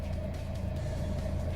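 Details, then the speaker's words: 2015 Chevrolet Sonic LT after replacing ignition coil for P0304 cylinder 4 misfire (plugs 3 and 4 swapped earlier): steady, even idle with smooth low hum, no stumbles, no check engine light; misfire fixed. "doesn't feel like it's missing feels much better so i believe the problem is fixed"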